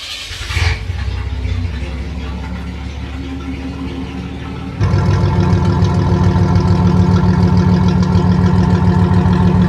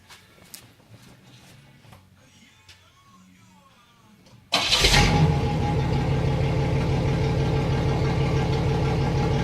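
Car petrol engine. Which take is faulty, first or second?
first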